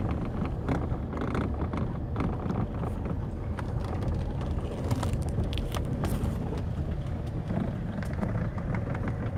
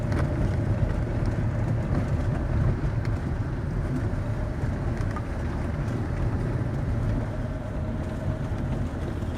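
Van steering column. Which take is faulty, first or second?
first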